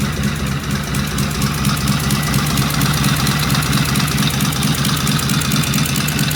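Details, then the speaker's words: Vintage British motorcycle on its first start, a previous runner with carburetors tickled, primary open, and pseudo-Dunstall mufflers: an even idle thump of about two beats a second, firing cleanly with no knocks. A healthy engine. "Well, as I am want to say, wow, you can't beat that with a stick. Wow, that sounded good. I feel bad is that sounds better than beauty did."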